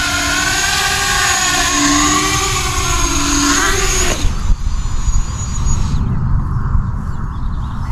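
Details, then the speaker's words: ArduCopter 6-inch race quad in alt hold, climbing and descending so motor RPM sweeps the frame resonant frequency for an FFT log: motor hum rises and falls through a buzzing band, then cuts away, frame resonance. "ou go up and down the motor RPM is going up and down and with any luck you can hit that frame resonant frequency"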